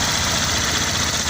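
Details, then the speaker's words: 2012 car running again after a six-year no-start; only an evaporative emission solenoid fault remains: brief steady idle with an even hiss and low rumble, no misses or knocks. Normal idle. "So the car is working now. The only fault that is complaining is evaporative emission system solenoid. So that one is a everything is working perfectly fine."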